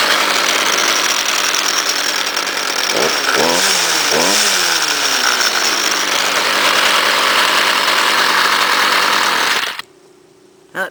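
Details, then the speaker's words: Cold start on choke of a 2009 Stihl FS38 trimmer, 27cc; throttle must be held, and owner says it backfires a lot but is dependable. Steady high buzz with a brief dip and recovery, then clean cutoff: normal running. "Oh, like a true still. I even have to hold the throttle. Oh, it's been so dependable. Backfires a lot though."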